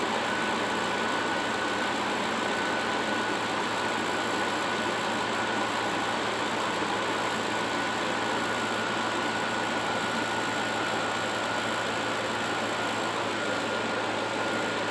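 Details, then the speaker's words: 2004 Ford F150 5.4L V8, cold idle after timing component replacement: even, smooth idle with steady hum and no clatter or ticking, much quieter than before repair; normal idle. "that sounds much quieter now granted this is a cold engine it's gonna have to get warmed up we got to top off the coolant drive it a little bit things like that but it already sounds much quieter than the engine did before we put these components in"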